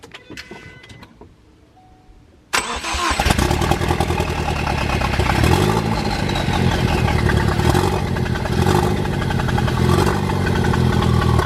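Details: Mk3 Focus ST at its first start after an engine swap, with a new starter fitted with the old solenoid and some components missing: a brief crank, then it catches at once into a steady, slightly high idle. Afterward it smokes; the owner suspects oil burning at the exhaust housing.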